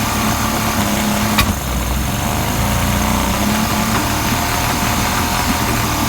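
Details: Yamaha 50D outboard at fast idle: a loud, steady drone with a slightly uneven, lumpy beat underneath, a misfire of unknown cause.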